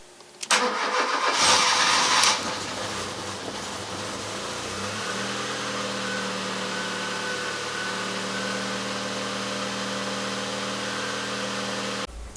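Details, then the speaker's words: Engine before spark plug replacement: cranks, fires and settles into a slightly lumpy, uneven idle with a faint shake from worn plugs. "and just for comparison here's what the engine sounded like before I did the spark"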